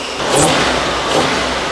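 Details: Old Toyota Land Cruiser engine with timing set at about 10°: two crisp throttle blips rising and falling cleanly, then a steady run without popping or hesitation; normal revving.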